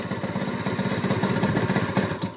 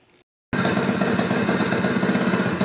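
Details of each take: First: 1988 Honda Elite scooter two-stroke: slow uneven idle, beat sagging and fading as if about to stall; owner thinks idle set too low. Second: 1988 Honda Elite scooter, wrecked and broken down, after a quick fix: small two-stroke catches after a silent gap and settles into a busy, slightly uneven putter running on its own, wanting to die; owner thinks idle is set too low.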